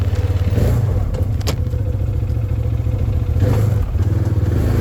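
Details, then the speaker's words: 2013 Arctic Cat Wildcat 1000 side-by-side on its first drive after repair: a steady, smooth V-twin drone rises and eases with throttle, with no misses. The high idle went away, and the owner suspects there was just air in the fuel system. Normal running. "it run so good now it never idled up like this ever again so I'm pretty sure there was just some air in the fuel system"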